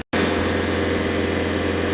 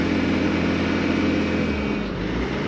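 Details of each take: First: Known-good Bobcat S550 compared against one with bad injectors, full throttle with rail pressure holding about 200–204: steady, even diesel drone with no misses, knocks or surging; normal full-throttle run. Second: Bobcat S550 diesel that bogs and shuts off at full throttle: steady high drone at full throttle, then pitch sags and it labours; injectors 1 and 2 leak badly on a leak-down test and rail pressure cannot be maintained.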